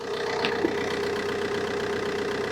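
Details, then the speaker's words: 2009 Vauxhall Insignia diesel, 147,000 miles, just started first time during a coolant and oil service and warming toward operating temperature: even, steady idle with a constant hum and no knocks, misses or rattles; normal healthy idle. "Car started up first time, no problem."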